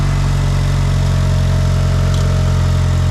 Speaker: It's quiet. I was expecting it to be tappity.